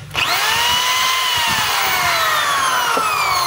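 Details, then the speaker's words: DeWalt DWD024 1/2 hammer drill running: high steady whine sagging slightly with a faint rough edge, chuck wobbles; spindle bushing worn from side-loading while enlarging holes with a 10 mm bit. "Kasi yung pinakapasukan ng spindle nito, bushing type lang po siya. Kaya pag ginaganon nyo po ng butas yon, may posibilidad na mapupudpud yung kanyang bushing."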